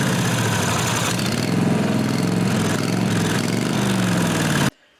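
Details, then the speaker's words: 1998 Briggs & Stratton Vanguard 16HP horizontal-shaft V-twin (model 303447), not started for 1–2 years, with dark, slightly low oil. It fires and runs unevenly for a few seconds, then cuts out. The fuel pump is not pumping fuel, and the owner plans to check the lines for cracks. "just don't want to pump the fuel right. So I'm going to have to check these lines, make sure nothing's cracked or anything, then see what happens."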